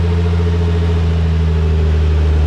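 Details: Nissan R34 six-cylinder petrol engine just restarted after fitting a new OEM coil pack to fix a misfire: a steady, even, smooth low idle hum with no stumble or skipped beats.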